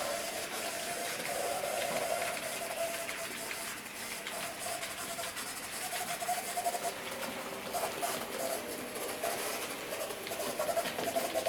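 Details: J36 "Haig" model steam locomotive running with harsh, gritty grinding over a wavering motor whine, persisting after oiling push rods and tender and greasing the driving cog; cause dry motor bearings needing oil.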